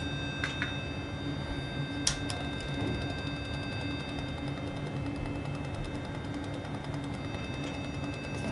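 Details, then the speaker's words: Conn Strobotuner ST-11 solid-state tuner, calibration out: steady tuner note with irregular clunks and ticks on lower notes; suspected strobe wheel physically dragging so it can't spin at correct pitch, faster notes fine. "now it's making clunky noises can you hear that like it's wrestling with that note the faster notes it's okay but i think that this strobe wheel is physically dragging in there i think it's dragging so it can't comfortably spin at the correct pitch"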